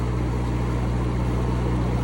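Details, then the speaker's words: Cummins 4BT four-cylinder marine diesel generator on a 94' Broward yacht, after replacing fouled injectors that caused smoke, smell and water sheen; now clean. Smooth, steady low diesel hum at constant speed, no knocks, misses or surging; normal running. "So I think it's working well. We're going to call that an end."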